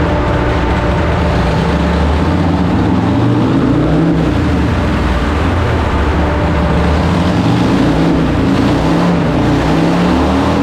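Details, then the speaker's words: 2007 Harley-Davidson Heritage Softail on dyno after ECU flash and tune, new fuel pump and fuel pressure regulator fix for lean running: loud V-twin pulling hard under load, even and clean, no popping or stumbling; running smoothly. "it's so smooth and nice to to ride now it's it's actually a different motorcycle"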